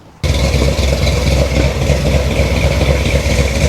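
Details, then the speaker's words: 1973 Chevrolet C10 Cheyenne Super 10 big-block EFI, exhaust warming up, about 80 dB, before a muffler swap: a deep, dull knock about four times a second under the exhaust rumble at warm idle; owner reluctantly feels he hears rod noise. "I hear that noise again. Deep down, I don't want to believe it's a rod, but deep down I feel like I'm hearing rod noise."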